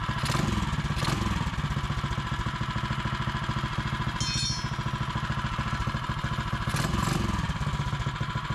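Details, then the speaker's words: Mega Moto minibike with Hemi 224 engine, first start after installing a larger Paul's Karts hot coil replacing stock coil, choke used. Steady, even thumping idle around 200 pulses a minute with a brief blip; sounds good, normal idle. "sounds good"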